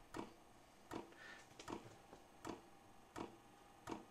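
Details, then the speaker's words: Vevor 5 kW diesel parking heater on kerosene and a 12 V battery, first-ever fuel priming, heat at level 4. Soft evenly spaced ticks about every 0.7 s in a quiet garage as the dosing pump primes. Normal. "that sounded like fuel pump so that's the fuel pump priming"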